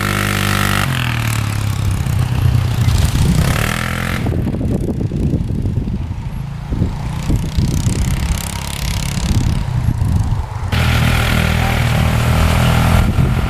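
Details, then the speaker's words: 2005 Polaris Sportsman 400 4x4 plowing ATV riding at full throttle: engine stutters and misses unevenly, breaking up as if bouncing off the rev limiter, low power and slow; picks up speed with gradual throttle; cause unknown. "break up here this is full speed right here so obviously something wrong you hear that breaking up pretty good"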